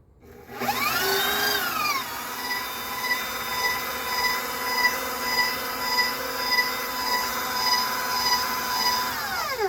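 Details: KitchenAid Professional 600 stand mixer after head fell off shaft, repaired with JB Weld and cured 13 hours: motor winds up to steady even whine, holds speed without grinding or rattle, spins down. Normal motor run after repair.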